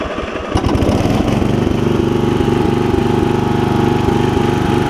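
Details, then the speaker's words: Customer's single-cylinder mower, blades off, no choke, after carburetor fuel-air adjustment for bad surging (fuel bowl leaked slightly): catches quickly, fast even run without surging or cutting out; normal running. "Here it's running pretty good now. And it should run, look at that. When it's running at low idle, it'll run really good."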